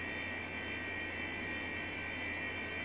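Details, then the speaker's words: HP 712/60 UNIX workstation at first power-on: steady high-pitched whine over even fan hiss from its noisy early-to-mid-90s hard drive, expected to fail soon and be replaced by a SCSI drive. "that's a very noisy hard drive as I expected it's gonna go away and they replaced by a blue scuzzy yeah I remember now how this early to mid 90s hard drives were noisy"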